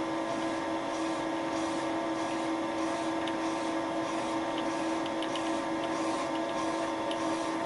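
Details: Wohlhaupter UPA5 boring head on a Thiel Duplex 158 mill, very light cut re-boring a melted plastic lawn mower bearing seat at fixed diameter, quill auto feed 0.12 mm/rev; steady mid-pitch drone with faint cutting ticks: normal boring cut.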